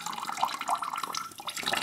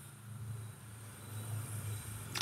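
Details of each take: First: New kitchen water line, aluminium composite pipe with press fittings, during leak test: water runs out in a steady splashing stream with no spitting or sputter; air purged, line vented, steady water flow without air. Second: Aluminium composite cold-water pipe with press fittings being filled for pressure test, air bled at the high point: air rush, then irregular spitting and dripping from a fitting not yet pressed; unpressed fittings leak by design, revealing them.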